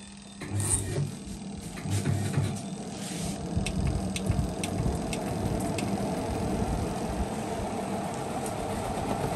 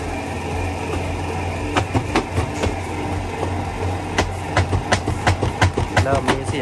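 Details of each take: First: LG WP-1650ROT washer after repairing a spin tub that banged and wobbled: a few clunks as wet laundry goes in, then a smooth, steady spin hum with no wobble. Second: LG WP-1650ROT washer after long use, spinning one wet cloth: low spin-motor hum, then loud hollow bangs about two to three a second as the spin tub strikes the cabinet.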